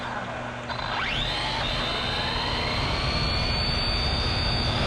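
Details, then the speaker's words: Redcat Racing Kaiju EXT RC truck on 3S: the whine climbs fast on launch, then holds high and steady at speed. The pinion is meshed too tight, which the owner thinks happens because clamping the motor down pushes it harder into the pinion. Top speed read 36 mph. "when you clamp it down i think it's actually pushing it harder to the pinion i think that's what the issue was"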